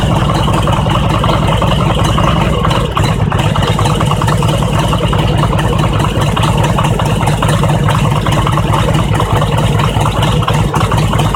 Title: Harley Engine Knock - when engine is cold